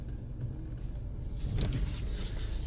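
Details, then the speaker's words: 2008 Toyota Corolla S, 164,000 miles, after replacing failed front strut top mounts: driving over a steep parking-lot exit, only soft road rumble, no front knocking or clunking; problem fixed. "and the problem is definitely fixed we have no more crazy noises success"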